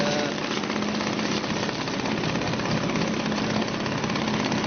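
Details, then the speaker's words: Suzuki DT 2.2 HP two-stroke outboard in a test tank, idling with a quick, even buzzing putter and no stumbles, running cleanly with the choke off. "That's it, that's ticking over now without any choke on."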